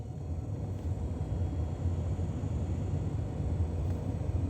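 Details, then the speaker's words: Ford EL Falcon heater/demister blower after replacing the fan resistor: low, steady, even blower rumble on the second speed setting, no rattle or squeal; normal operation, repair successful. "Try 3 and 4. There you go, easy fix."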